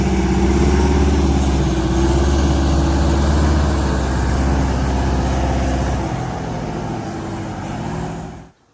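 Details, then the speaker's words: Prevost bus (Marathon conversion) with a Detroit Diesel 8V92TA DDEC II at full throttle, TPS confirmed reaching 100%: a deep, steady drone holds low revs and never pulls, so the bus barely moves. Boost maxes at 15 psi. Injector problems were found, and new injectors gave 22 psi. "It's not even gonna, it almost doesn't even, we almost got stuck here because it didn't want to move. That's full throttle pedal."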